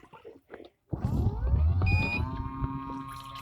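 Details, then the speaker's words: MIC portable mini folding washing machine with 3D-printed dual-action agitator, held by hand during rinse/continuous spin: motor whine climbs over rough low grinding as the drive bolt keeps turning and grinds out the agitator spline teeth; worn agitator splines. "you can hear the spines getting grinded. But if I have it on continuous spin, now that is continuous spin."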